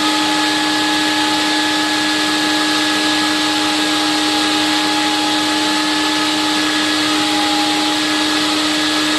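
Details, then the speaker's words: Late-1980s TriStar CXL vacuum on about 120 V with all standard filters, motor condition unknown: steady, even motor whine at one pitch over rushing airflow, no grinding or surging; sounds okay. "nt nine five amps for this particular motor and I have no idea what condition it's in because I haven't taken the shell apart yet to see what it looks like but it sounds okay more or less"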